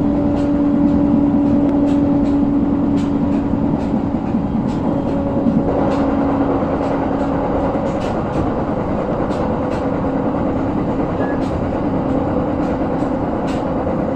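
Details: JR 701 series train on the Joban Line, recorded 2021/1/8, louder on entering an elevated section: steady rail roar with a repeating thump about 2.5 per second, keeping pace with the wheels; wheel flat.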